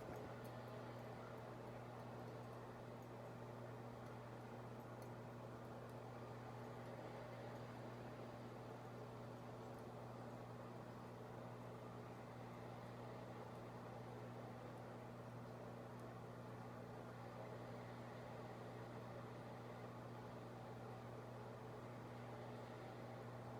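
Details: 52-inch Harbor Breeze Builders Best ceiling fan from March 2004, recorded in 2020, runs on low speed very slowly with a steady low electrical hum; bad capacitor causing the slow fan.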